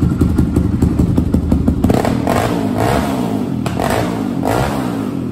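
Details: 2002 Yamaha Raptor 660 single-cylinder quad, sat over a year and a half and wouldn't start, given fresh gas, oil, coolant, carb clean, jets and valve adjustment: catches and settles into a steady, even thumping idle; normal start and idle.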